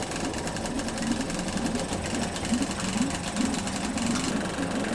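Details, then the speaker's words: Yamaha 5 two-stroke outboard No. 1, just started on internal tank: buzzes at a fast steady rate well above normal tickover; idle speed set too high, then lowered and check-port stream confirmed. "We decrease the overestimated idle speed, check that the stream from the check port is going."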